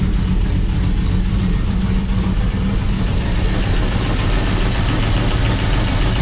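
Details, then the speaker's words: 1955 Chevrolet Bel Air four-door with Gen III LS V8 (4.8/5.3/6.0) running a Comp Stage 1 Thumpr hydraulic roller cam, changed intake and headers, not yet tuned: deep, choppy, rolling uneven loping idle over heavy exhaust rumble; normal healthy cam idle. "Well, there you have it. Thing sounds awesome. It's like super happy with it. Like I said, that's a Comp Thumper cam."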